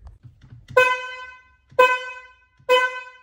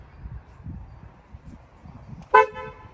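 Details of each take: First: BMW F80 M3 horn: eight short honks of a thin, high-pitched single note with no low tone underneath, clown-car sound; the low-frequency horn has failed. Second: BMW F80 M3 horn after replacing the failed low-frequency horn that sounded like a clown car: one short, sharp honk with a clear, steady two-note tone, a normal horn.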